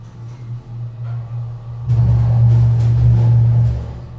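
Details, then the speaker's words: Schindler hydraulic elevator in a poorly maintained parking garage, recorded riding inside the car: deep uneven hum that swells and shudders, a violent jerky ride because the unit is low on fluid; floor indicator also misreads and leveling starts early. "Now get ready for the fun because this thing is low on fluid. Here we go. Listen to this closely."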